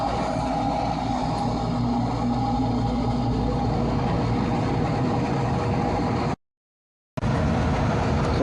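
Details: Furnace draft inducer, newly replaced motor after the old one squealed and failed to start: steady, even motor hum with a smooth constant tone and no knocking or rattle; normal running.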